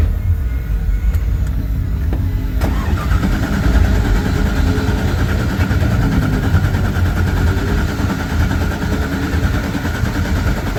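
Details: A car starts up after its fire-damaged spark plug wires, ignition coils and wiring were rewired. The starter cranks briefly, then the engine catches cleanly and settles into a steady, even low rumble with no misfire.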